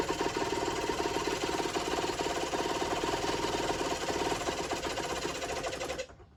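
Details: Generic Trigger SM 50cc two-stroke on a temporary fuel tub with a stiff temporary throttle cable: uneven, rattly buzz with revs creeping up unasked before it cuts out. Owner suspects an air leak, later found around the intake manifold; main and pilot jets were also blocked.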